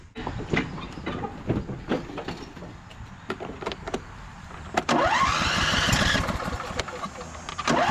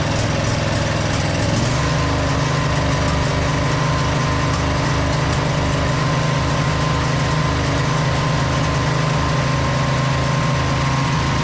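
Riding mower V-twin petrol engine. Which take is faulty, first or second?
first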